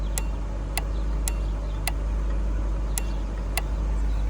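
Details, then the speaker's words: Citroen C4 with heater blower not working, heater blower relay in the additional fuse box, microphone close to the relay: six sharp, crisp clicks over a low steady hum as it switches in and out. "So you've got there is your relay, and now this does a lot of clicking, so if I put you close to there, and you might hear it,"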